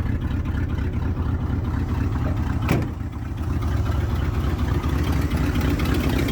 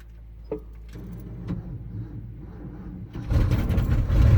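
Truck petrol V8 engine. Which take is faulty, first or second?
second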